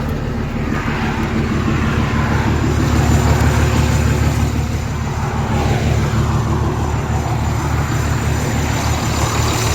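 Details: Semi truck diesel started after transmission pulled and reinstalled roadside (crossmember, driveshaft refitted): catches and settles into steady even low rumble, no knocks or clunks; healthy idle.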